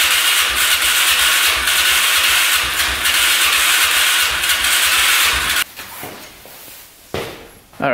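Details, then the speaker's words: 2005 Can-Am Outlander 400 Max ATV with oil squirted into the cylinder after a low compression test: starter cranks at about four pulses a second, the engine nearly catches but never runs. Owner suspects stuck piston rings. "definitely wanted to go, so I'm thinking rings are stuck."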